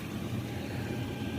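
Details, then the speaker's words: 8kW all-in-one Chinese diesel air heater in a van at full output, cabin warming from 9°C toward 15°C; even low rumble with steady fan roar, no knocks or surging, not very noisy, running smoothly. "and it's really not that noisy like it's warm in here I'm starting to sweat I have my jacket on but I love this thing"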